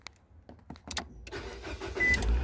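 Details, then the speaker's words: Nissan with failing steering lock (ESCL), started while micro switches are held pressed to bypass the lock: a few sharp clicks, then starter catches and engine settles to a steady low idle; normal start. "and it will start now we have a fully running car and now i can take my thumb off the micro switches and it will run and drive like normal"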